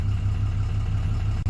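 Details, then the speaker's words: 2007 Dodge Ram 2500HD 6.7 Cummins, previously no crank/no start, now running a few minutes with original TIPM reinstalled; possibly aftermarket fuel pump, awaiting tune. Low, even diesel idle, no misses, knocks or surging: normal idle. "now that we got the everything else fixing running so it cranks and it runs so it's been running for a few minutes now"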